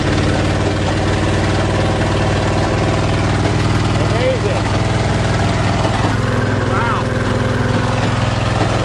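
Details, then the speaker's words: 1977 GMC truck, 400 V8, carbureted, cold weather, after choke pull-off rod adjustment: deep, steady V8 burble holding an even idle without stumbling or hunting while warming up from cold; normal. "now we'll let her warm up and see if she'll go for a ride sounds like a big block"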